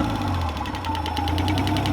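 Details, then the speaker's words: Nissan RB30E engine in an R31 Skyline, rebuilt head with lifters not cleaned: a light, fast, even tick about ten a second over a smooth idle; a sticky hydraulic lifter. "that's good that's really really good stoked so apart from a sticky lift up here that"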